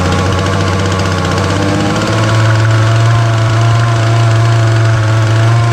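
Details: Titan multi-tool strimmer, nearly 6 years old, small two-stroke on choke after tightening the carburettor adjusting screw: a steady, low, held-back buzz that starts but never reaches full revs. Fuel lines look worn; the owner plans to pull the carb.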